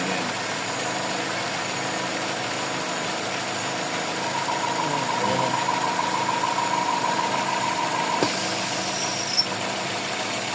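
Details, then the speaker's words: Toyota 4A-FE engine with idle issues: steady high whistle over an even idle that disappears when the PCB module is removed and returns when refitted. Whistle from faulty PCB module. "Aalisin ko to, Wala na. Pag binalik yan, Mayroon na yan,"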